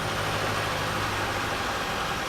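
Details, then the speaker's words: Volvo Penta marine diesel on a catamaran idling after a 2000 rpm rev, with turbo and exhaust elbow replaced; thin, high turbo whine falling in pitch over the rumble, showing the turbo works. "you can hear the turbo wine so we know the turbo's working"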